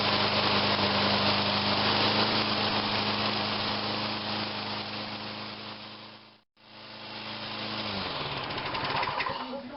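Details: Toro Personal Pace rear-drive walk-behind mower, in good shape, after rear drive repair: steady, even single-cylinder chatter at a constant speed, no knocks or grinding, then it winds down; the motor runs normally.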